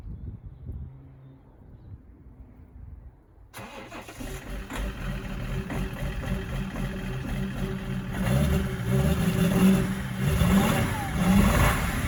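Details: BMW X5 E53 3.0d, M57N diesel, cold start with smoke: it cranks and catches, then idles and revs with an uneven stumbling beat. Cold start misfire.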